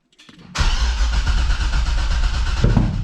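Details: 2006 Corvette, LS2 with 6-speed manual, first start after a Texas Speed cam (233/239 at .050, .600 lift, 112 LSA) and long-tube headers, with the rest of the exhaust not yet fitted. A quick crank catches instantly into a loud, lumpy, choppy idle. Normal start and idle.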